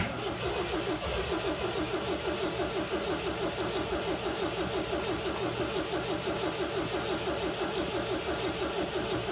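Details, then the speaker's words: 1979 MGB, cranking on choke; starter churns steadily about three turns a second with no firing. Owner says it's flooded and backs the choke down to give it air; flooded engine, crank no start. "Flooded. Bring the choke down a little bit. Give it some air."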